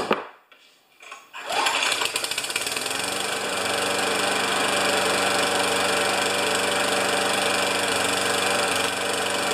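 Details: Older Murray mower, 158cc Briggs & Stratton Classic engine, after fitting a J19LM spark plug: starts after a pull, then runs rough and uneven with a stumbling beat; running really poorly, owner blames the ignition coil and will change it.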